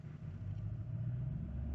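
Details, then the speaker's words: Infiniti M45 V8 with aftermarket exhaust, after removing aluminum undertray that caused drone at 900 rpm: deep smooth rumble climbing evenly when revved, no droning or rattle; normal revving without drone. "There you go. Nothing happens. Oh my goodness. See, I told you, this engine is pretty smooth. You can hear the exhaust, which mine is aftermarket right now. But the engine itself is quiet, as it's supposed to."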